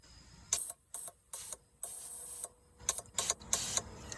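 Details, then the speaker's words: Gen 3 Hemi fuel injector off the engine, cleaned with Gumout, fired by a battery and push-button tester on the engine-run fuel system outside the garage: a crisp click then an even hiss on each of about eight presses, spraying normally. "and then I go one by one just to make sure they're all clear. But they were all clear with the gum out with this tester thing here."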